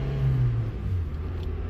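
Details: Car pulling away in first gear after suspension and steering work, engine not yet warmed up, humid day: low, even road rumble with no clunks or knocks; suspension rides smoothly and the car drives fine.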